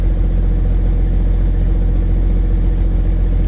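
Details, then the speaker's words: Case STX375 articulated tractor diesel at a steady, even low idle with no knocks or misses, running normally. It is back running after a no-fuel fault with a broken-tab fuel actuator; there is no throttle yet, the engine fault code has gone away, and the lift pump is still miswired. "well she's running don't have any throttle it looks like my engine fault's gone away so our code is"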